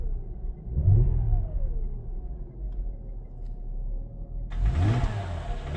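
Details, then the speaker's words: Mercedes E350 3.5 V6 after engine rebuild for knock and smoke; revs climb and fall smoothly through blips with no knocks, misses or smoke — normal revving, rebuild successful. "The engine rebuild was successful and I'm happy with the result. As you can see, no smoke is coming out when the car is revved."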